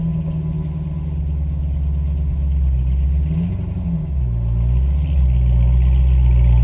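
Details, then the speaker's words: 2006 C6 Corvette Z06, stock, cold start just out of 60-degree climate-controlled basement on 100-degree day; deep, steady V8 burble, even firing, slight rise as idle settles; runs smooth and healthy. "Just backed the car out of the basement. Cold start."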